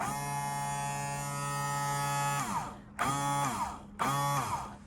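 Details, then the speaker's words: Rule automatic bilge pump wired to a Rule 3-way switch, switched to manual; steady electric motor whine holding its pitch, then quick starts and stops; the pump works normally. "If I hit the floater switch, you can hear it working, all right?"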